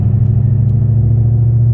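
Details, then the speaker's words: Car with a McLeod RST twin-disc clutch pulling away at about 20 mph in fifth gear at very low rpm; deep, pulsing rumble of low-rpm clutch chatter. "That's clutch chatter. And people complain about that."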